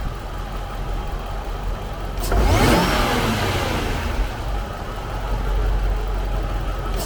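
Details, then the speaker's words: Jaguar XJR supercharged engine, recorded under the hood, stock exhaust; steady low idle then one quick clean rev climbing smoothly and settling back, no knocks or rattles, normal healthy engine. "So that's what it sounds like on idle, and I'll give it a rev in just a second here."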